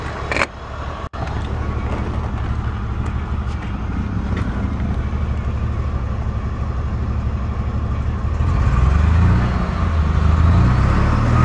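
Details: 1989 Ford Thunderbird Super Coupe idling low and steady, then the note wavers up and down instead of holding even: an idle problem.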